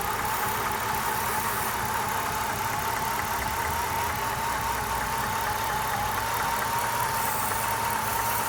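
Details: 1997 Lincoln Mark VIII, Ford 4.6 DOHC: thin steady whistle over a smooth idle, idle drops when the leak spot is found; vacuum leak.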